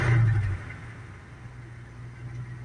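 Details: Dodge Power Wagon V8, after a brief rev, drops to a quiet, low, even idle off choke with no misses; temperature rises but doesn't run away, radiator probably just low.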